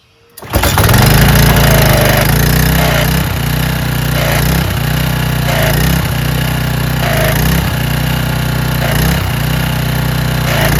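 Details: Troy-Bilt (Craftsman) pressure washer after carburetor cleaning, water connected with gun: starts on first pull, steady even drone with slight periodic load dips; runs cleanly.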